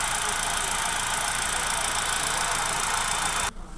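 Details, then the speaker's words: 2017 Hyundai i20 after misfire repair including wiring: petrol engine idling steadily with hissy engine-bay wash, no misfire stumble or exhaust missing, until shut off. "हमारा engine start है properly पहले यहां देख सकते थे यहां पहले व्हिस्परिंग शोर रही थी ज्यादा रहा था ये वायरिंग ये भी हमारी हो चुकी है गाड़ी बिल्कुल ओके हमारी गाड़ी बिल्कुल फिट है कोई मिसिंग नहीं"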